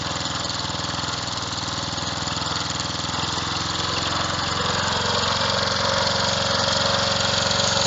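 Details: Revived old Snapper riding mower, 12.5 hp Briggs & Stratton single, after years sitting: steady, even chug at fast idle, no misses or knocks; running cleanly.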